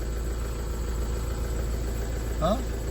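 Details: Tata Safari diesel after a no-ECU-communication no-start was fixed with a full system reset: steady, even idle with a low, smooth drone and no misses or knocks; running normally.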